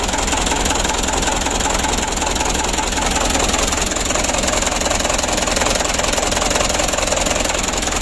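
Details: Mitsubishi Canter 136 PS HDL diesel truck with hard starting, jerky running and diesel mixing into the oil, after injection pump work. It settles into an even, steady idle clatter without misfire. The plunger and feed pump are suspected causes.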